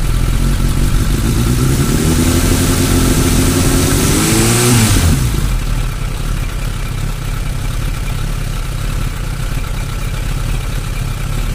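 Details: Suzuki Bandit 600: four-cylinder blips and settles to uneven lumpy idle that never steadies; owner asks what causes fluctuations in cylinder 3.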